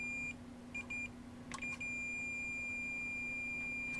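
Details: Multimeter continuity check on a Mega ST2 board while looking for 5 V and 0 V points for a new fan's red wire: a few short chirps then a steady high beep for a couple of seconds, showing a good connection.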